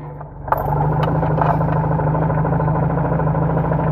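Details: Car idling with the clutch engaged: a harsh, uneven clattering rattle that vanishes when the clutch pedal is pressed and returns when it is released; suspected worn clutch release bearing/hydraulic actuator collar, replacement requires moving the gearbox.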